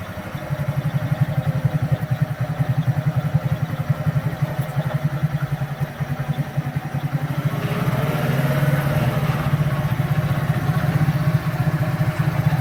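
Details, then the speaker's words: Kazuma Meerkat Chinese quad, small single-cylinder with Japanese carburetor, warm, idle screw being turned up: quick even putter that picks up slightly and holds steady without hunting or dying; normal idle. "awesome pretty decent throttle response though i mean i can clean that up better smooth though"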